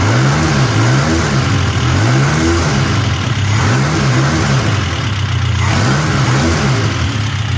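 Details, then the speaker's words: 1972 Toyota Celica with an 18RC engine and Weber 32/36 carburetor, after a valve adjustment and idle-screw adjustment (idle was about 1000 rpm). Repeated throttle blips rise and fall cleanly with no stumble, and it sounds like it's breathing right. Valve train tick is noted afterward. "okay well that sounds like it's breathing right"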